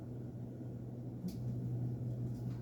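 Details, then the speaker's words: 52-inch Hampton Bay St. Clair ceiling fan reversed while running: low steady motor hum dips briefly as the motor spins down, then picks back up the other way quickly; smooth, no grinding or clicking, plenty of power, normal reversal. "see how quick it is you can really hear the motor kind of spin down and revert the other way that was nice and quick this thing got plenty of power to it"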